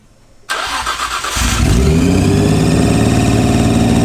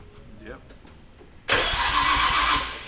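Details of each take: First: Nissan R34 GTR at first start after nearly a year, belts not yet fitted: fast, steady high idle that never drops. Suspected intake or vacuum leak, acting odd when sprayed. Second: Nissan R34 GTR with RB26 engine at first start after nearly a year: loud, steady starter whir turns the engine over evenly, no grinding or clicking; normal healthy cranking.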